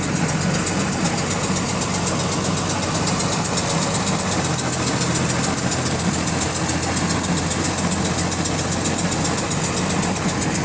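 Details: GAL bus WVL358 diesel at idle: steady, fast, even clicking in sync with engine speed over a low rumble; source unknown.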